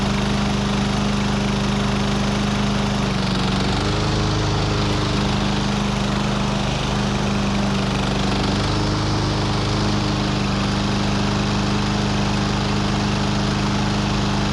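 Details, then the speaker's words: Husqvarna AWD mower with a Briggs & Stratton 625EX single-cylinder, pulled from the trash and repaired, cold start after sitting a couple hours with little fuel: fires and settles into a steady, even drone with no misses, knocks or hunting. "Well, it's been sitting for a couple hours now, and I just wanted to get another cold start on it. So we are totally cold."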